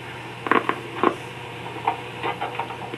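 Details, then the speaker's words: Late-1960s Wollensak 4310 cassette recorder, test recording made with automatic level control, played back through a Bell and Howell solid-state cassette recorder: steady airy hiss with faint clicks on blank tape, high noise floor; excessive tape hiss. "Again, we're hearing quite a bit of hiss."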